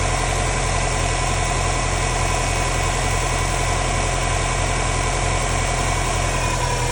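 Cold idle with a loud steady rumble and a faint regular knock riding under it; a knock of unknown cause.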